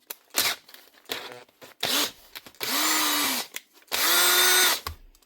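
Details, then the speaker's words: Makita 18V cordless drill from a repair box, first test: short bursts of high motor whine rising and falling evenly with the trigger, plus chuck ratchet clicks; it runs normally, the chuck closes fully and both speeds work. "She's running and the chuck's working. And it seems to be closing all the way. And she's going on to both speeds."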